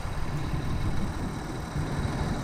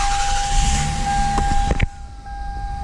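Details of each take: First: 1999 Lexus ES300, 68k miles, 1MZ-FE V6, codes P0300/P0301/P0304: deep lumpy idle with repeated stumbles; ignition analyzer shows cylinder 1 ignition (not mechanical) misfire from a faulty coil, before coil and plug replacement. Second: 1999 Lexus ES300, 68k miles, 1MZ-FE V6, after replacing the faulty ignition coil that caused P0300/P0301/P0304 misfire: steady even idle with no stumble, all cylinders firing, smooth as butter.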